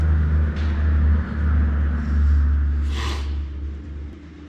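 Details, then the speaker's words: 1970 Ford Torino GT, 351 Cleveland V8, revived after 24 years abandoned. Rough, lumpy idle with a faint airy hiss from a giant vacuum leak at the carburetor base gasket; needs the correct gasket. "oh yeah that most definitely is a giant vacuum leak right there we got to get the right gasket"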